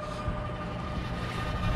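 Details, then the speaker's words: York rooftop unit (RTU) making a loud noise heard inside the store: constant deep roar with a steady high hum over wind; the blower bearing is completely gone and the blower belt bolt has come loose. "that ain't good the bearing is completely gone"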